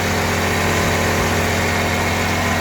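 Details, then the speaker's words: FC truck, engine hot: loud steady roar and hum with throbbing vibration near the radiator, loud into the cab; owner suspects one of five electric cooling fans, possibly a fan bearing, newly started, unconfirmed. "เสียงมันดังแล้วตะพือมากเลยเสียงมันดังเข้าเก๋งเลย"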